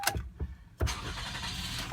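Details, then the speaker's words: 2004 Toyota Sienna after fitting a remanufactured starter to cure a crank-no-start: short crank that catches right away and settles into a smooth, steady idle; normal start. "voila the engine start back looks good"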